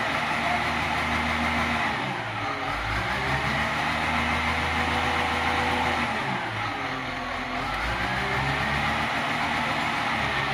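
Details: CAT 950H wheel loader diesel with error codes 36-274-4 and 30-428-3: engine runs unevenly, beat rising and sagging every few seconds, a lumpy misfire-like hunt, cause unknown.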